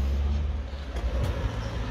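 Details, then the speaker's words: 1967 Chevrolet Caprice lowrider after maintenance with fresh trunk batteries: a deep, steady hydraulic pump motor drone with a few sharp valve clicks as the switch is hit. It reacts well even in the back, and the pump runs strongly and evenly, which is normal. "Now that it has fresh batteries, it goes well, you know, if you hit the switch. Nice reaction right there, even in the back."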